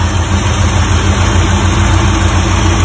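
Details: 1985 Porsche 928S V8 after fuel pump and filter replacement and adding a missing quart of oil, first run after sitting long: steady even low rumble, smooth unbroken beat, no knocks or misses; idling healthy.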